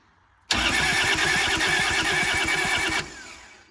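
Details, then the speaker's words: Kubota L285 4-cylinder diesel tractor, sat 8+ years, fuel pump on: starter turns it over at a steady laboured three pulses a second but it never fires; air found at the cracked injectors. "All right, seems like we're not getting fuel, so I'm just gonna crack these injectors, see if there's any air or anything in there. Really tight. Yeah, there's air in there."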